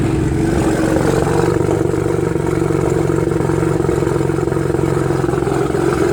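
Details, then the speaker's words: BMW 335i cold start heard from inside the car: uneven, lumpy exhaust beat with a loose clatter over the idle; possible misfire suspected. "okay this is me turning it on from the inside of the car it sounds like a bit of a misfire"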